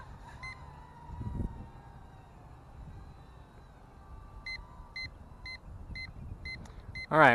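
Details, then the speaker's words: Hubsan H122D Storm FPV racing drone on a 7.6 V LiPo at the end of a flight: light motor hum, then short sharp beeps about twice a second from the low battery voltage alarm. "you can hear the quiet stuff also beeps on low battery"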